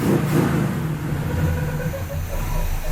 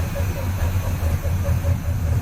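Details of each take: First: After DIY repair of a warped, leaking header collector using round rod, the engine holds a steady, deep idle with an even beat and no puffing or ticking from the header; exhaust sounds sealed, running a bit rich; normal idle. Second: After header collector leak repair, engine at idle: short chirps about five per second over low rumble, an odd squeak from the front end; owner wonders about the water pump, unconfirmed.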